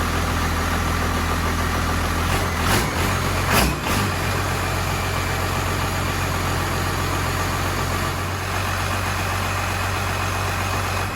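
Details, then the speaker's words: 1993 Cummins 12-valve diesel in D350 chassis (1940 Chevy truck body), first start with temporary 3-inch exhaust: fast, steady clatter held high without throttle, no settling; idle set too high, fixed by backing off idle screw and adjusting rod. "see if I can adjust the idle screw on that's pretty high you know all right we're going to try to adjust the idle on it but it runs again okay"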